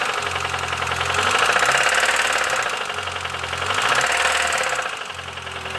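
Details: Petrol engine at idle: a sharp, regular clatter at roughly three to four knocks a second, steady throughout; internal engine knocking, source unknown.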